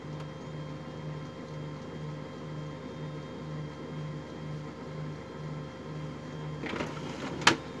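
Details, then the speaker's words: HP LaserJet MFP 3055 sounds normal at power-on, but when printing it hums with a steady tak-tak gear noise as paper feeds, ending in paper-feed clunks. Dry, misaligned or worn internal gears are suspected. "जब इसको प्रिंटिंग का मैसेज दिया जाए इसमें ये शोर गियर की आवाज़ आती है।"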